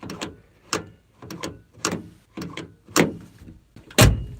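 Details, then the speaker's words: Old two-door Dodge Charger door opening and shutting; a few crisp clunks and clicks, each latch catching cleanly with no rattle or grind. Normal door latch operation. "you hear that man that door opens perfectly listen sorry you can't see me listen to that"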